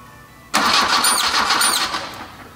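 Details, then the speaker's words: Race car engine under winter restoration, cranking with tape over intake runner number two: two sharp high squeaks about half a second apart, absent with number one taped; air leak between boot and intake on the head. "you heard our squeak so obviously I do have an air leak that is specific to the boot to here or from here to the actual intake on the head"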